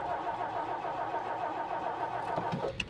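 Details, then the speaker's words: 1959 Meteor left for dead in the bush, on choke: steady, even cranking for about three seconds with no firing; no fuel reaching the engine, and it ran after gas was added. "Is it gonna start? I might have to go get the gas can."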